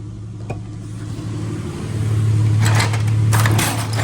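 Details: 2000 Ford AU Falcon automatic, sat over 5 years, started immediately after fitting a second-hand replacement throttle body: catches quickly and settles into a smooth, even low idle with no hunting; healthy start and steady idle.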